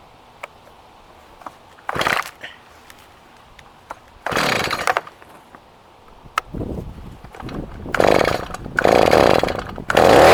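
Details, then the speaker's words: STIHL MS290 chainsaw with an 18-inch bar and chain, a cracked cover but otherwise clean: a quiet low idle with a few sharp throttle blips that rise and fall cleanly. It starts easy and runs healthy. "We're in idle mode right now."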